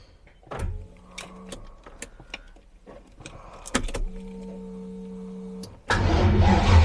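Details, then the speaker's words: TVR Griffith 500 with Rover V8, new fuel, running without air filter: starter whirs in short bursts with scattered firing, then a brief rough catch; ignition cutting in and out from a bad connection, coil wire suspected. "so there is that you have a bad connection somewhere it does this"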